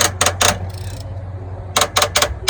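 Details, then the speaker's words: 2011 Volvo VNL steer axle during brake shoe replacement, recently replaced slack adjuster being backed off: quick bursts of crisp, even ratchet clicks with no slipping or grinding; normal, healthy slack adjuster ratcheting. "That noise you hear is the sound when you're Slack adjuster is in good shape. I know I had just recently changed that one."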